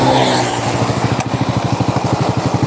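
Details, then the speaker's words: Honda Supra motorcycle: crisp, even single-cylinder putter at idle, steady with no knocks or rattles; healthy normal idle. "suaranya Ini motor masih bunyi loh herenyes-kerenyes ya kerenyes-kerinyes"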